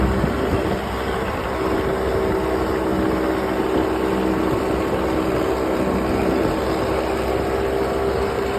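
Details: Ox66 outboard motor idling steadily with a coarse, rough grinding throughout; compression excellent and prop not slipping; new spark plugs silenced it briefly but it returned; cause unknown.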